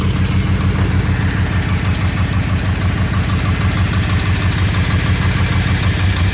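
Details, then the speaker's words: 2002 Dodge Durango 4.7L V8, 108k miles on replacement motor, sat about a year, cat into a cherry bomb, intake missing: loud idle with lumpy, uneven beat around three pulses a second and shake; rough idle, cause unknown. "Seems to start fine, but it doesn't run the greatest it used to."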